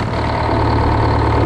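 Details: GM 4-71 two-stroke supercharged diesel, about 160 hp, 50-60 years old, powering a Frick sawmill, cold, 48 psi oil pressure, before secondary fuel filter change: steady, even idle with smooth low drone, no knocks or misses.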